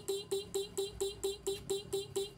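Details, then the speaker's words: Honda Scoopy that won't crank despite a new battery and relay, with the ignition on and the horn held as a load test: a thin, choppy tone pulsing about four times a second. The cause is not the battery but a poor electrical connection starving current. "Nah, kalau kasusnya seperti ini teman-teman ya, ini ada yang berpikir, ada yang berkesimpulan bahwasanya baterai kurang kuat. Tidak teman-teman ya, ini bukan efek dari baterai teman-teman."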